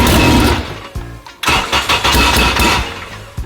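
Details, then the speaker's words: 2000 Honda Civic Si, bought abandoned, starting after a blown coil fuse was replaced and fuel components changed; cranks briefly, then fires cleanly and revs strongly with no misfire; normal start. "That thing ripped."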